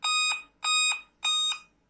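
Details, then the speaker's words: Dell P40F laptop at power-on: sharp high-pitched beeps repeat evenly, about five per cycle, with no fan or drive noise, a beep code pointing to a dead CMOS battery (RAM also named as a possible cause). "CMOS battery खराब हो जाता है, तो इस तरह का issue देखने को मिलता है।"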